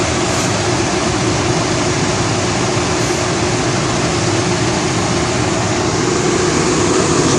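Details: 400,000 BTU forced-air space heater on red diesel, fuel pressure turned down from its kerosene setup, after a cold start: loud, even roar of fan and flame with no sputter or pulsing; burning steadily and healthy.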